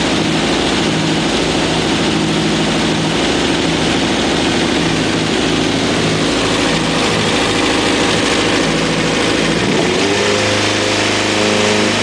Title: ZX11 weird engine noise